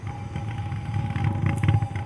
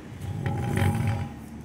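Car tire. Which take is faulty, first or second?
first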